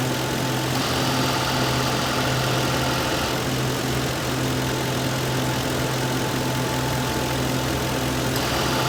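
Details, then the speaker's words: 2006 Lincoln Town Car AC at idle, stop-leak added then Freon can charging: idle note shifts as compressor load comes on and drops off every few seconds, then it runs full time; short-cycling from low refrigerant, suspected small leak. "I'm squeezing this down. This can's getting cold. That means it's going in. I hear the compressor. It just went on full time."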